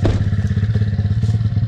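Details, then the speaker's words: 2021 SSR 170TX pit bike warming up at idle; steady even single-cylinder thump with no knocks or misses, healthy warm-up idle. "all right guys as I let the bike warm up a little bit"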